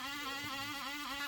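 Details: HP 15 CW1500SA laptop, machine running: loud, steady whir with clear hum and slightly wavering pitch; failing cooling fan, to be replaced.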